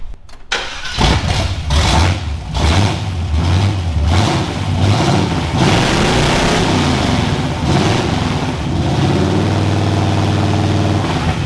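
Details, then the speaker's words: 1974 Chevy Nova V8 running open headers, alternator loose and not charging: cranks, catches, blips loudly, then a lumpy uneven idle. Runs rough, cause not yet found. "ah all right sounds pretty sick as of yet we'll fix that God it sounds not quite as good as a derby car"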